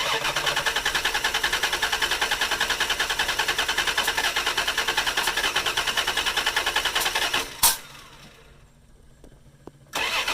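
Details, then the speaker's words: 1988 Dodge Dakota 3.9L V6 with electric fuel pump, won't start after valve cover gasket replacement; plugs fine, injectors clean but right injector dumps fuel: steady rapid starter cranking about seven seconds, never firing, then another crank. "replaced valve cover gaskets and now won't start spark plugs are fine injectors are clean but you can see the right injector dumps fuel"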